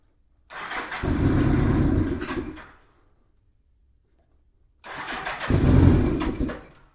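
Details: 1987 Honda GL1200 Goldwing, cold, given throttle by hand on its first start in years. It catches, chugs unevenly and dies twice, smoking a little. Owner suspects insufficient fuel supply from carburetors needing cleaning.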